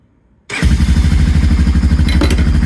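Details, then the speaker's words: Honda ATV with click-no-start, starter jumped directly at the solenoid with a screwdriver: quick crank catches at once and settles into steady, even idle, proving starter, wiring and engine good; fault is a bad starter solenoid. "That's a good run of four-wheeler right there. And you heard it start up. So now I know that my wiring from my starter solenoid all the way to my starter is good."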